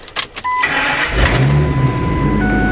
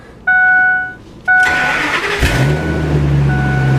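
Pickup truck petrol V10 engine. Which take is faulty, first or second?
second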